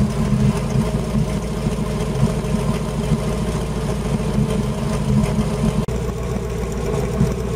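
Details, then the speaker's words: Old Holden Kingswood V8 (351/253 mentioned) running on LPG on a freezing night, after warming up a bit; steady, even low burble at idle with no skips; healthy V8 idle. "lpgs a very moist burning fuel so you get a lot of steam moisture when it's cold and it's freezing out here tonight so that sounds so much better than the almost 6 L V8"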